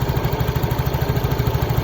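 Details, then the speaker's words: Yamaha Mio J scooter, fast even single-cylinder idle swaying slightly; hunting idle despite earlier ISC repair, from an expanded lower intake hose leaking air; pressing the hose makes idle normal, hose replacement recommended. "Nah, masalahnya ini terasa udaranya itu tidak stabil karena selang ini sudah mengalami pemuaian. Tekan ini, tekan."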